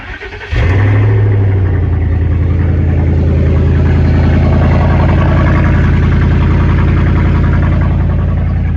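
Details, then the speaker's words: 2011 vehicle, started at idle with the muffler removed during an exhaust repair: the engine catches and settles into a loud, deep, blatting idle with a raw pulsing drone from the open exhaust. "so I got to know what this sounds like with no muffler on it so here we go key on"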